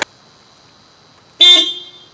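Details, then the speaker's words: Subaru Crosstrek after replacing the weak stock low-tone horn with an aftermarket 12V 110dB disc horn, high tone left stock: one strong, bright half-second blast with a clear steady tone, noticeably louder; a normal, healthy horn. "It's actually louder. Do it again. Yes! That is louder. It's like almost masculine."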